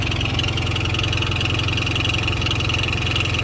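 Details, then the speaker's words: 1996 Alfa Romeo Spider, sat for a couple of months, first jump-started start in neutral: uneven idle with an irregular beat of about 2.5 pulses a second; rough running, cause not identified. "oh there's the sounds hear that that's not a good sound"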